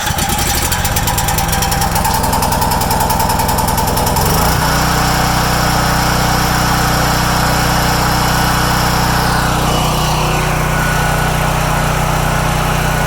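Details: New Champion 10,000-watt dual-fuel generator that would not start on gasoline, made to start by tapping the solenoid while cranking: small engine catches and settles into a steady, even drone, running smoothly with no misses or surging.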